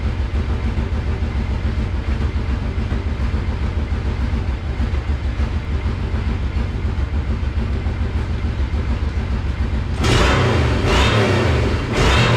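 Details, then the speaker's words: Monster golf cart build after new fuel pump fitted, choke off and idle screw turned down from fully cranked up: even, low steady putter with no misses or surging; normal idle, now runs perfect. "so finally that clicked and so I just went and turned the idle down and as you can hear now it runs perfect"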